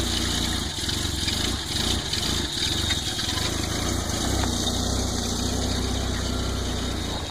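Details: Volvo 940 turbo warming up before work, cold start: idle stumbles and surges every second or so instead of settling; rough cold idle, cause unknown.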